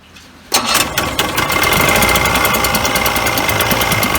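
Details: Mercury Force 40/50 HP outboard after replacing a bad delaminated fuel line and adding inline filter: catches at once, steady even idle with crisp rapid beat, no stumbling; normal start and idle.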